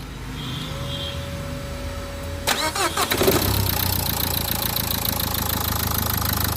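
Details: Renault Duster after starter motor overhaul: quiet tone, then a brisk even starter whir and the engine catches cleanly into a steady idle: normal cranking and start.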